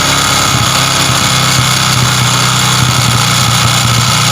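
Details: Honda Supra X 125 motorcycle, cylinder block recently replaced, engine idling with a harsh, clattery metallic roughness over the steady beat; rough-running and heavy power when hot, traced to a scored piston.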